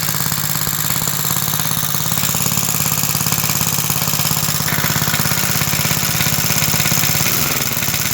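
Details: About 66-year-old 1960s English Suffolk single-cylinder engine after carb clean and new plug wire: steady running with a loose, rapid metallic rattle about three times a second; owner places it in the starting mechanism, which has oil in it.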